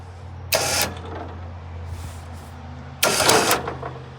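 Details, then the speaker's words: Liftgator XTR liftgate lowering after refitting its cable onto the pulley: steady motor hum with two harsh bursts of rattling clatter; cable then looks crooked again and a clip appears broken; cause not confirmed. "Uh-oh, that didn't sound good."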